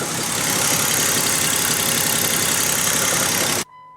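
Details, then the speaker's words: 2007 Jeep Wrangler, 3.8 L V6, automatic transmission, just started before the engine is replaced. Uneven rapid knocking about four per second clattering through a harsh idle; internal engine fault. "Yeah, and you can definitely hear there's something wrong."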